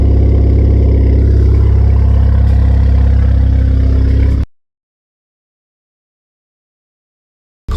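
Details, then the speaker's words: 2016 Ford Fiesta ST salvage rebuild, 47,000 miles, cold start: loud, raw, even drone at fast cold idle, no misses or knocks, then shut off; normal cold start with straight-pipe exhaust. "47 000 miles can't run outside so you can hear it on a cold start see"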